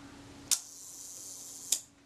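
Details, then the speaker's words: Kodak Retina IIIc shutter during service after fitting and adjusting the gear train, released expecting about one second: sharp opening click, fine even buzz of the gear train, closing click about 1.2 seconds later; normal slow speed timing. "if i release the shutter we should get something like one second"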